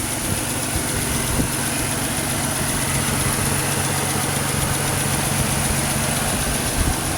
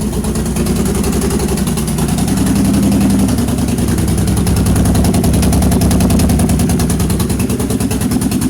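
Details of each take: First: 2006 Pontiac Grand Prix supercharged V6 swap engine: steady smooth idle, low constant hum, no knocks or stumbles; crossover exhaust leak still to be fixed; normal idle. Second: 2006 Pontiac Grand Prix supercharged V6, used donor engine first start after swap, open downpipe; rough, uneven idle stumbling about three times a second, sounding like a slight misfire.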